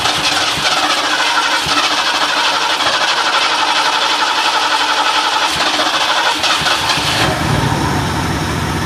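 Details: Ford LTD started on a new $80 eBay 2150 Ford carburetor, carb screws untouched, after the old carb poured gas, car unmoved for a couple of years; catches quickly into a steady, even idle with no misses or knocks. Normal start and idle.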